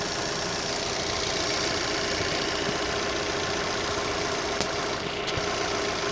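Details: Opel Z18XER petrol engine at idle: a busy, faint ticking clatter over steady running; owner asks whether this engine noise is normal, and no clear fault stands out.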